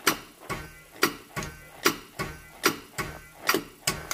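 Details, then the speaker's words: 1968-72 Chevrolet C10 steering-wheel horn button after adding a thin plastic spacer: crisp single relay clicks at every button press, about one per half second to second, none missed; horn relay triggers properly. "so it turns out that one little thin plastic spacer soon as worked you can hear the relay trigger"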